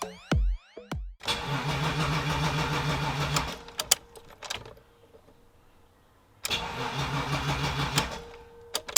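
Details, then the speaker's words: BMW E30 323i Baur first start attempt after sitting 10 years with a new battery: two bursts of even starter cranking, a few seconds each, no firing; fuel gauge near empty, no fuel delivery. "First start for the E30. Doesn't sound like anything's happening. I just noticed it's showing pretty much next to no fuel on the fuel gauge, so I might just put some in and see what happens."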